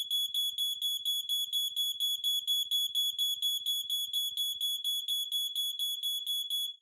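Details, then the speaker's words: Home smoke alarm wired to a remote horn, test button pressed: shrill, even beeping about twice a second for nearly seven seconds, then stops cleanly; alarm sounds properly. "so I'll do a quick test of the smoke which you can hear chirping and you'll hear the horn"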